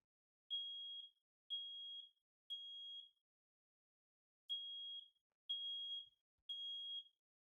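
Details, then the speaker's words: Smoke alarm in a 2026 Newmar Northern Star 4037 motorhome, test button pressed after a battery replacement: high shrill beeps in groups of three, one per second with a pause between groups; normal test tones, battery working. "And then press this button again to make sure you hear the series of tones to make sure the battery is operational."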